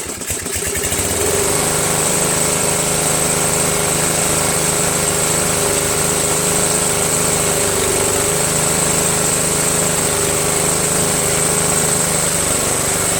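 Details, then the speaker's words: Briggs & Stratton 13.5 flathead single-cylinder on a Murray Select mower (bad valve guide, ground valves, stripped head bolt), started cold after sitting overnight: uneven lumpy idle with hissy buzz, running worse than the day before; weak compression suspected. "so it doesn't run as good as it did yesterday"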